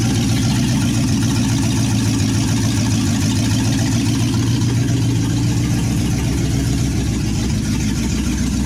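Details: 1963 Chevy C10 with a 355ci small-block V8 (350 bored .030 over) and Turbo 350, unrun for years, reportedly low miles, on its second-ever start: loud, lumpy open-header rumble holding a steady idle with no stumble or knock. Normal idle.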